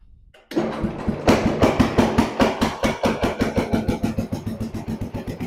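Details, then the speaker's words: Restored Jacobsen Chief 800 riding mower, low idle screw just adjusted: engine catches and settles into a steady low putt, about seven beats a second, no hunting or surging; healthy low idle. "So there's low idle. Sounds pretty good."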